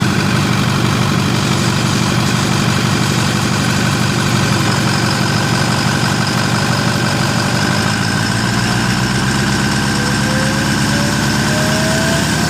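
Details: 6.4L engine with no boost; rough loud clatter pulsing about twice a second, with a whistle climbing in pitch near the end; abnormal noise, cause not identified.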